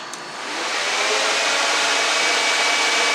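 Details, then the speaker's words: Dodge Dakota electric cooling fan after loose ground was tightened: spins up within half a second to a strong, steady, louder rush of air with no ticking, rubbing or wobble; normal fan operation. "Sounds way louder now."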